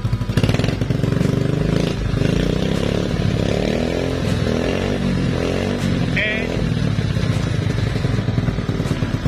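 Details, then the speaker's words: RXF 50 mini trail bike single-cylinder, running after a jump start from another battery, idling several minutes with throttle blips to recharge its drained battery: steady, even putter that settles back cleanly; healthy. "nanti kalau sudah agak lama kita diamkan beberapa menit ya seperti itu Coba di gas-gas supaya ngisi"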